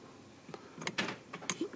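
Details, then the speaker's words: Audi A3 with ignition on, remote/button unlock: a few short, sharp lock clicks and a clunk, but tailgate stays locked; owner suspects electrical fault in button feed to trunk; tailgate not unlocking with central locking. "on entend le claque et c'est censé déverrouiller le coffre sauf que apparemment ça ne le fait pas"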